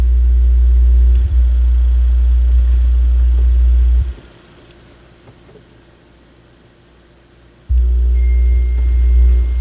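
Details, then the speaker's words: Technics SL-B202 turntable: loud, steady low hum that cuts out for a few seconds and returns, changing as the tonearm moves or is flexed; a bad tonearm wire in the left channel is suspected. "yeah I think we got a bad tone arm wire because that's the Left Channel"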